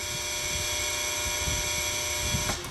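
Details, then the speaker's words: Three-phase rotary phase converter: steady hum with uneven low flutter like a playing card in bike spokes, heard before warm-up; the noise goes away after running an hour or two, cause not identified. "noise after it runs for a couple hours or an hour or whatever it just it warms up a little bit and then that noise kind of goes away and it sounds like it normally did or that first did when I installed it so I don't know it's almost almost like you put the playing card in the spokes of your bike"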